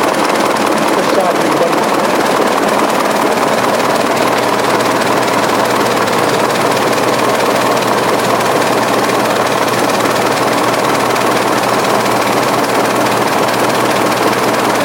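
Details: 1920s 45 hp General Electric genset, serviced after over 10 years unrun, just started at half choke with governor being adjusted: chugs along at an even, steady beat, no knocking or misfire; sounds healthy.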